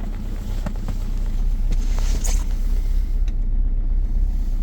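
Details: 2.0 HDi diesel with EGR off, cold start at -7.0°C: heavy low rumble with very strong, sharp, uneven knocking and some wind noise; cold start knock.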